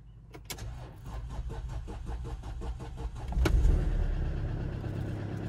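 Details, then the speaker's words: Mercedes W204 C220 CDI, tuned OM651 diesel, first start after brake work and coolant bleed, stood a while: about three seconds of steady cranking before catching and settling; sluggish start, owner suspects battery drained by roof lights. "Fired right up, kinda. I thought the battery was a bit drained for it standing a while with the roof lights and everything"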